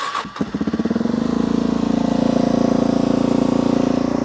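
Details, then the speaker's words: Carbureted motorcycle on a cold start with the choke pulled out. It catches within a second and holds a high, steady fast idle with a firm even beat; normal choke running, and it would die if the throttle were twisted before warming up. "but as you can tell now it's revving really high and it's revving really high for the exact same reason the other one was to put more fuel through"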